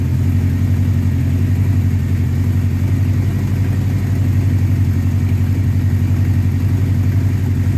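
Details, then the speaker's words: 1984 Honda CB700SC Nighthawk after carb cleaning, idle raised, warming up: steady even fast idle about 1400 rpm, smooth low throb, no misses or knocks; normal fast idle. "all right that's right about 1400 that's a little bit 1400 RPMs that's a little bit high but I'm just going to run it like that for a little while guys let it warm up"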